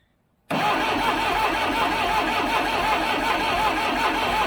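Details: 1976 Broderson IC70 crane diesel, abandoned several years, fuel tank cleaned, 12 V fuel shutoff solenoid powered: steady starter cranking at about four even compressions a second with no firing stroke; cranks but won't start.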